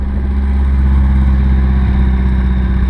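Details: Nissan S13 just fitted with the stock S15 Silvia T28 ball bearing turbo: deep, even idle rumble with no misses, knocks or ticks; idling smoothly, no overheating.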